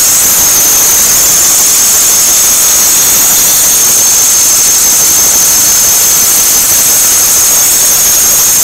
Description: I'm trying to get this squealing sound fixed. It only happens when the weather is cold and especially when it is moist outside. The squealing sound gets higher in pitch when I speed up.